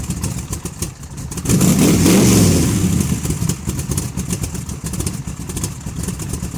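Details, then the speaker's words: Big-block Chevy 454 in a barn-find T-bucket, running with baffled exhaust tubes fitted. Deep, muffled V8 burble that swells with a quick blip and settles back to an even, steady lope; sounds healthy. "All right, I'm going to fire it up real quick so you can hear it with the tubes on and you can remember what it sounded like."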